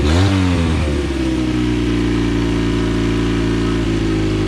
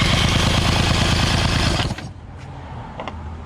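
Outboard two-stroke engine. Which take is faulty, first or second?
first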